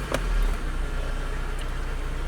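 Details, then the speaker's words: Mitsubishi Lancer 9 1.6 4G18, after throttle body cleaning/restoration and idle-valve adaptation: warm idle settles at 750–850 rpm after a brief bump, a low even hum with no hunting or surging; normal idle. "мы видим после прогрева машины обороты стабилизируются становятся на 750 850 оборотов и не плавают"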